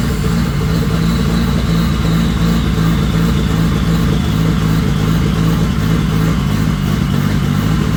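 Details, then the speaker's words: Turbo engine, just got running: loud steady drone under constant throttle, smooth with no knocks, turbo whistle faintly heard; engine runs well. "So, as you can tell, that actually runs really good. You can actually hear the turbo whistling."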